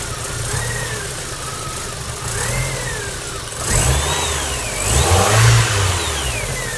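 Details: MG ZR 105 with new plugs, leads and alternator belt fitted: revs rise and fall with a wavering whine and an odd intermittent rumble. Intermittent abnormal engine noise, cause unclear.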